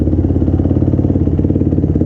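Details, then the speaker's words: Yamaha YFZ450 quad, near-stock, after starting-circuit fix and replacing a too-thin leaking O-ring: steady, even single-cylinder beat with crisp exhaust pulse, no knocks or misses; sounds healthy, though fuel is low on reserve. "Sounds healthy though. Let's take this thing for a little ripper."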